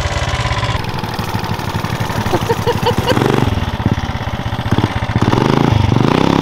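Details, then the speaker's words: 420cc big-block single swapped into a Mega Moto minibike with CVT, ridden at about 45 mph after valve adjustment and a fix for a rod bolt hitting the block: steady thump, light valve-train tick only, no knock; normal running. "I know you still hear ticking but that's just the valve train sound on a big block and now with the valves adjusted it's even better"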